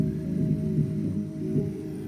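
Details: Early 1970s SoundDesign model 6438 AM/FM 8-track deck playing a tape: wavering, unsteady low-pitched playback that wobbles in pitch about every half second. Caused by the wrong, makeshift drive belt.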